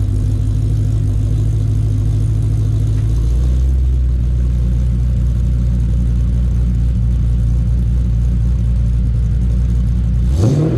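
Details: 2007 Mustang GT 5.0 stroker with Manley internals and Todd Warren cams, after cam phaser lockouts fixed a phaser knock at operating temperature: deep, even idle with no tapping or rattle, then a clean rise in pitch on the blip; healthy.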